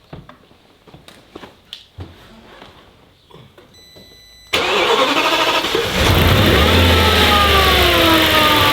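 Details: Audi S6 V10 cranks, catches quickly and settles into an even idle with no air-intake hiss, after rocker (valve) cover oil-leak repair with engine flush, idle only; handling clicks first: normal start and idle, no leak.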